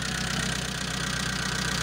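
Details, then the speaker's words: Mitsubishi Colt T120SS injection engine misfiring with a lumpy, uneven idle and steady stumble; pulling the cylinder four plug lead changes nothing while cylinders one to three do change, so cylinder four is dead. "Sekarang mari kita coba silinder nomor empat, teman-teman. Di sini sangat sempit . Tidak ada perubahan di sini, teman-teman. Saya sudah mencabutnya, tetapi tidak ada perubahan."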